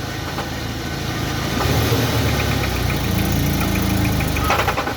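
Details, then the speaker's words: 2017 UAZ Patriot engine, started cold, loaded hard in gear against the handbrake: irregular knocking around four a second in the low rumble, tied to engine speed; piston slap suspected rather than a lifter or timing chain, unconfirmed. "вот именно под хороший нагрузкой в натяжку то ta ta ta ta ta ta ta ta у нас"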